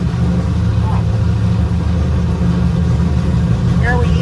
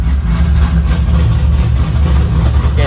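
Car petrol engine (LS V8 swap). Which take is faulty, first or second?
first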